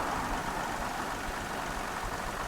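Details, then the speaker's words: Big three-litre engine after new battery, idling low at about 550 rpm: low, slow, even rumble with no knocks or misses, running like a sewing machine, slight visible shaking. "It sounds just remarkably nice. I don't know what the lavalier mic picks up, but it runs like a sewing machine."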